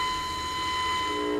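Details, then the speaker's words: Zenith 707 vintage radio: a modulated signal-generator tone is passed through the first I.F. transformer and heard on a signal tracer. The tone firms up as the dial is rocked, showing what seems to be resonance at around 485 kc. "there you can hear it as i rock the dial so it seems to be resonance at around 485 kilo cycles"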